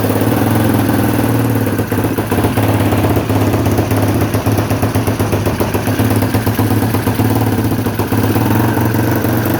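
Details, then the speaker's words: Honda XL250R with swapped-in electric-start Honda CBX250 engine, first start in neutral on choke: busy single-cylinder thumping holds steady with no knocks or misfires; starts and runs healthily. "So, I'm just using the start circuit here. It's got fuel. Choke. Oh, what a treat."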